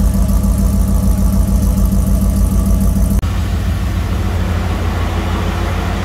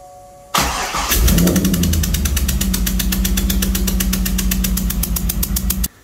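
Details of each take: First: 2003 Corvette Z06 LS V8 after valve spring replacement, now driving again: a steady, even idle with a smooth low rumble and no valve train ticking. Normal idle. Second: 2003 Corvette C5 Z06 LS engine after a valve spring replacement, compression tester still stuck in cylinder 8 with its coil unplugged, run to warm up. Catches after short crank, uneven loping beat; running on seven cylinders.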